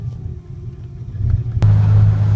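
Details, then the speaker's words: 1986 Ford Ranger extended cab, manual, 1990 2.9 engine with 1988 computer, runs fine cold but bucks when warm: low uneven idle that swells and sags, pumps whining, lights pulsing; rough lumpy surging idle, cause not pinned down. "I can hear the pumps whining. And it's gotten all really lumpy with the idle. And the lights are pulsing."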